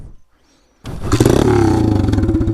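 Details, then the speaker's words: Taotao DB17 125 pit bike: raw, crackling single-cylinder roar with sharp exhaust pops as it pulls, because the exhaust pipe came loose and the bike is running straight-piped. "oh yeah that sounds bad oh huh that's probably why yeah i don't know if you can see this we kind of just straight piped our bike"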